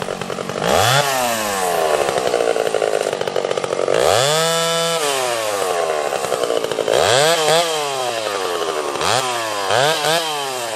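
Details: Stihl 031 AV chainsaw, freshly ported (exhaust port roof raised, transfers cleaned up), cutting under load. It screams to high revs, dips slightly into each cut and snaps back; crisp and strong, running better than ever, like brand new.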